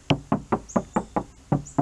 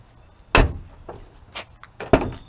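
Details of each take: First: BMW Z4 door panel after budget sound deadening: eight quick dull thuds that die fast with no tinny ring, a solid well-damped door; the untreated door sounds like a tin can. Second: BMW Z4 door, built without factory sound deadening in earlier years: sharp, thin, tinny slams with a rattle and no solid thud, sounding like there is nothing inside the door.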